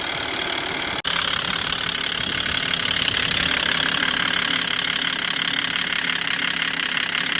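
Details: Stolen-recovered Volvo XC90, first start: loud, clattery, diesel-like ticking at a steady rate over the idle; heavy internal engine knock, cause not yet known; the engine is judged terrible and due to be torn down.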